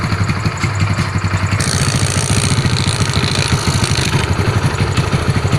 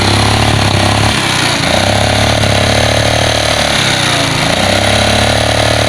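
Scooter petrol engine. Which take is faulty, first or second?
second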